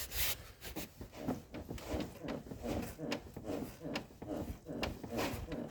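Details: Rhythmic rubbery creak, two to three strokes a second, as the front anti-roll bar of a Chery Tiggo 8 Pro Max is rocked by hand; bar bushing suspected, squeak usually stronger than here.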